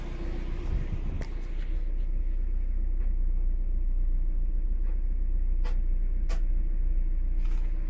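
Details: Mazda MX5 NB 1.8S idling after sitting unused for 1 year, electronics refurbished; steady, even, smooth low idle with no misses, knocks or hunting, idling normally.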